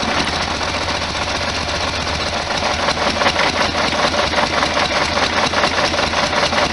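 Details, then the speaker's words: 1973 VW Super Beetle air-cooled flat-four with dual carburetors, just reassembled with new pump diaphragms and gasket kit, being balanced: busy, slightly lumpy idle with loose pulsing rhythm; uneven idle from carburettor imbalance. "left-hand side down oh good trying to get this imbalance out"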